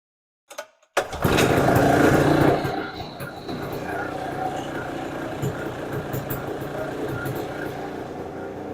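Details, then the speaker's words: Circa 1966–69 Tradewinds Tiger snowmobile two-stroke. A brief rev, then a steady, even buzzing idle with no misses; runs good. "bu she runs good well we uh got her running"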